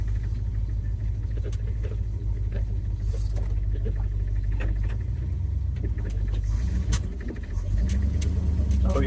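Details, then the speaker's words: 1976 Ford F-150 Ranger sitting over a year after running poorly, new fuel filter, warmed a few minutes but not fully warm, old carburetor: uneven idle coughing and stumbling then stalling; owner suspects carb is stopped up, will replace it. "even coughing now I'm sure that thing has stopped up yeah she died"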